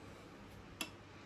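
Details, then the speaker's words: Sylvania StreetLED MK3 LED street light with a standard NEMA photocell in daylight; one crisp relay click over faint room hiss, no chatter or buzzing, heard up close as the cell switches the light on or off like a light switch; normal. "there we go you can actually hear it clicking I'll hold this up close so you can hear it click yep that's it clicking on and off that's basically like a light switch throwing"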